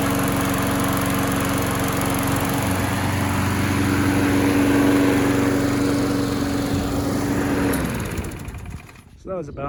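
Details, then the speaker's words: Craftsman lawn mower single-cylinder after flywheel key replacement and new cheap carburetor, fixing popping no-start: steady, even drone with no misses or pops, then winds down and stops; engine healthy. "20 minutes of running runs really good happy with this the how this thing turned out"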